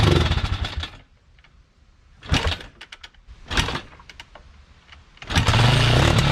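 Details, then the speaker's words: Kawasaki Mojave 250 sitting two years, full tank of old fuel, tried on starting fluid: bursts of starter cranking with pauses, never catching on its own; fuel starvation, float suspected stuck in the carburetor. "fluid sometimes you can get lucky you can run stuff on starting fluid for a little and then the carburetor will clear up but we didn't get lucky this time"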